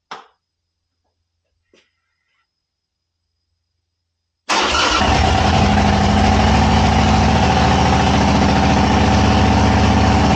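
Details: 2000 Harley-Davidson Sportster 1200 with S&S Super E carb, long-sitting and told it needed a starter, first start with enricher pulled and throttle twisted: starter catches and it settles straight into a loud, even, lumpy idle; clean start, healthy.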